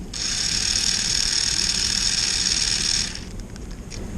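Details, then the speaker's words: Motor from a 1994 Lionel RS-3 locomotive (6-18837), bench-run straight off a battery: a steady, strong, high-pitched buzzing whir; this is the faster of its two possibly mismatched motors, and both are healthy. "But if we hook them up with the battery, you can hear the difference. This is the fast one"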